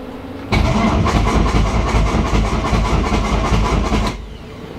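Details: SRT engine cranking during a compression test with the fuel supply disabled and a booster pack on a nearly dead battery; readings were about 185–190 psi. Strong, even low chug about two and a half per second with no catches or grinding; normal cranking.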